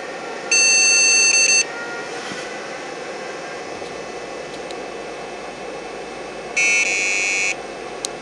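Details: Two long, high-pitched beeps about five seconds apart over steady fan hiss at power-on on a Kobian KOB KT266A board with Award Bootblock BIOS; beep code indicates BIOS ROM checksum error (suspected, not confirmed).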